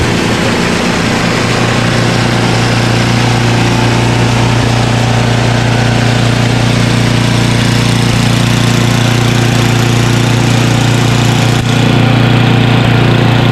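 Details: Craftsman 29" snowblower, 9HP Tecumseh engine, after carburetor cleaning with a blocked pilot jet cleared: low, even idle held steady over ten seconds at the bottom of idle, no rise-and-fall hunting.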